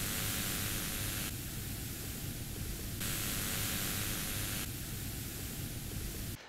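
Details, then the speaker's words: Studio monitor speaker on battery supply instead of mains, input shorted: steady hiss with no hum, cutting in and out as the speaker is switched; noise inherent to the amplifier chip topology, lowered but still audible, not grounding. "there is noise inherent within the amplifier chip in there it's just inherent in the topology but the interesting thing is we were able to lower it but I can still hear it"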